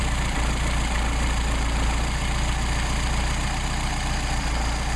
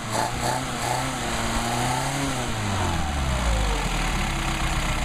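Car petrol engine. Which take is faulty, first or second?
first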